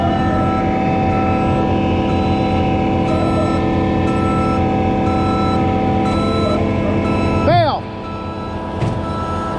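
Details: Concrete pump plugged on prime-out: a steady drone under a backup alarm beeping about once a second as the pump runs in reverse to pull back a line plug of concrete.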